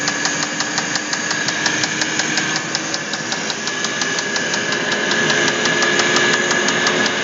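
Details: Sharp, even knocking at nearly three per second over a running Audi A8 D3 engine, a hard internal knock; cause found to be a failed connecting rod.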